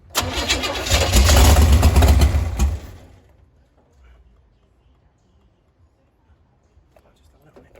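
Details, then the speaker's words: 468 big-block Chevy in a Nova, first firing after distributor work: labored, lumpy cranking with rough firing for about three seconds, then dies; ignition timing too advanced. "It was popping, but it was too advanced or [ __ ] I think that weighs advance back. So, we just had to pull it back a little bit and it wasn't turned over so hard."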